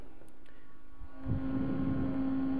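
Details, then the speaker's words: MFJ-4125P 25 A switching power supply, replacement cooling fan mounted after the original nearly stopped: spins up to a steady, fairly loud constant-tone hum, noisier than a typical computer fan. "it's even a little louder you can hear it in the whole room basically it's uh little noisier than a than most computer fans are these days in computers"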